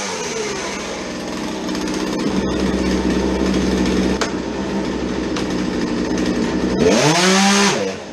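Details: Small two-stroke chainsaw that would not idle, after fuel change and fitting a modified air filter: steady, clean idle buzz, snaps up to a high even scream and drops back smoothly, running properly.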